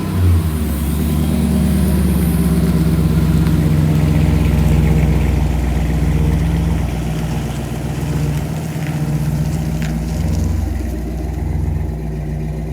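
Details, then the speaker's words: Vehicle on maiden voyage after whining noise on cold start traced to a failed distributor with roller-cam steel gear: steady low engine note rising smoothly with throttle at slow driving, no knocks or misses; runs, shifts well. "everything seems to run good transmission shifted well motor sounds good uh brakes and steering seem uh good"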